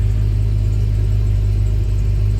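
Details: 2004 Itasca Suncruiser RV, about 90-96K miles, idling after a fuel filter replacement while being checked for leaks; a deep, smooth, even idle with steady low rumble and no misses, knocks or hiss; no leaks were found.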